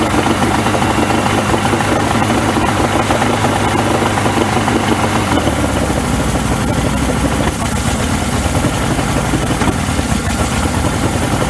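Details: 1994 Suzuki 115 two-stroke outboard, cover off, run after a 15-minute hot soak during a cheap DIY fix for stalling and dying: holds an even, continuous idle with no stumbling or dying. It would not idle at all earlier; improving.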